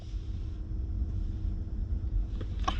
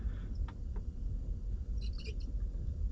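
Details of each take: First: Porsche Cayenne cabin blower fan after repair of its known squeal: low, even fan hum with no squeal or chirp, even with fan speed raised; the noise has completely disappeared and the blower sounds healthy. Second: Porsche Cayenne, ignition on: cabin blower fan whooshes steadily with irregular high-pitched chirps and squeaks, a known recurring Cayenne cabin-fan fault.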